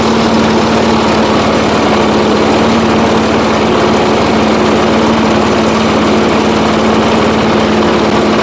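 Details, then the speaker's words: 1980s Firestone 22-inch mower after about 20 years of storage, warming up after the carburetor adjustment while owner seeks the sweet spot, smoke clearing: steady single-cylinder buzz with an even note, no misses or surging. Normal running. "As you can see, she's smoking a little bit, but I would expect that from sitting for so long. Once this thing runs and gets some heat in it, um hopefully that will go away."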